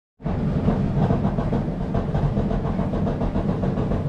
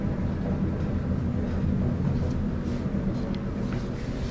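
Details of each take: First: Samsung dryer drum turning: a heavy rumble with repeated uneven popping on each rotation; worn drum support wheels to be replaced. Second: Samsung dryer after replacing all three drum support wheels to cure a popping noise: smooth, even low hum from the turning drum, no squeak, pop or thump, extremely quiet like new.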